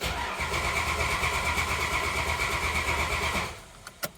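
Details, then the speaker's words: 1987 Dodge Dakota carbureted 3.9 V6 after winter storage, cranking with choke unset to build oil pressure via old gear-reduction starter: steady even pulses about three a second, no galloping, indicating normal compression; doesn't fire. "The cranking's pretty even. I know on some YouTube channels I always talk about how you can quickly figure out what your compression's like if the starter kind of gallops or jumps. Doesn't sound like it in our case."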